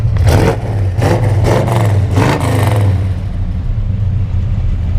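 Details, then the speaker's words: 1970 Chevrolet Chevelle SS454 with LS5 V8 and factory 4-speed, at the tailpipe: several sharp rev blips rising and falling cleanly, then deep steady burble; normal revving, healthy engine. "just give it a little throttle just quick a lot of a lot of torque do that again then we'll go back here and look at the exhaust go and rev it up"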